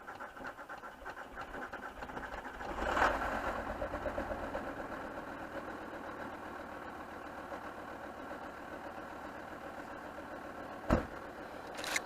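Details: VW Touareg 2.5 R5 TDI 174bhp diesel, 4Motion manual, about 400,000 km, after cold start: uneven lumpy idle with irregular clatter and wavering beat, with smoke; rough idle from bad injectors, worsening over the last 100,000 km.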